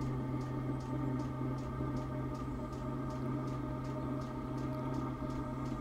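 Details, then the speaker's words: A Chinese diesel heater with a 6-metre extended exhaust into a sand battery fires with a steady combustion hum and a regular pump tick. There is some slight whistling, but it runs normally again after the blockage. "just started clicking and that sounds much better I think we had a blockage sounds better"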